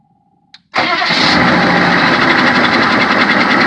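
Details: 6.5 diesel truck with about 300k on it starts into a loud, busy idle with a steady knock and a brief high squeal; cause unknown, just started.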